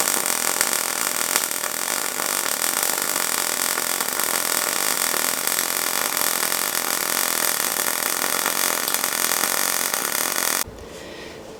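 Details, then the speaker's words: Yeswelder MIG-205DS MIG welding steel coupons with shielding gas: dense, even bacon-fry sizzling crackle for about ten seconds, no pops or buzzing, then stops; correct MIG arc. "Listen carefully to the sound it makes. It should sound a little bit like cooking bacon, a little bit of a crackle without pops or buzzes."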